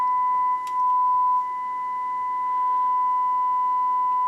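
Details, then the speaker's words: HH Scott R 316 receiver phono input fed a 1 mV test tone after fitting 470k resistors to fix loud scratching: steady, pure tone on both channels with no hum, crackle or dropout; phono stage working normally. "let's feed it one millivolt [Music] sounds good on both channels"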